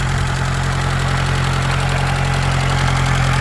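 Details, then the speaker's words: Newly rebuilt Atomic 4 sailboat engine with Walter's 2:1 reduction gear and Paragon reversing gear, test run in neutral, muffler only slightly warm: steady, even low chug at idle with no knocks or misses; a smooth, healthy-running motor. "like that sound, it's just a real smooth running motor."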